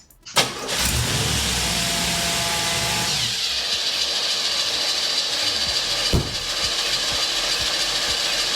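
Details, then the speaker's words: Oldsmobile after starter repair: engine starts and runs, but a harsh metallic grind continues over the running engine because the starter doesn't disengage, until it finally does. "that's the starter. Well, it doesn't doesn't disengage. And now it did. It finally did, I guess."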